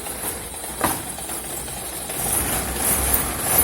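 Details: Old car after the skid plate was bent back off the exhaust: engine idles quietly and evenly, with no rattle or buzz from underneath.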